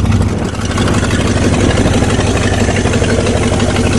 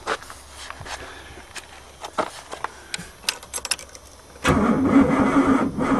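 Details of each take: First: Rusty Oldsmobile 88 with 307 V8, sitting 3 years, on 3+ year-old stale gas: uneven idle with the beat wandering and stumbling; rough idle, not running on all cylinders. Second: Oldsmobile 88 that sat for three years, key turned with no fuel to check it isn't seized: light ticking, then the starter spins the engine over steadily with an even rhythm and no binding; turns freely, not seized.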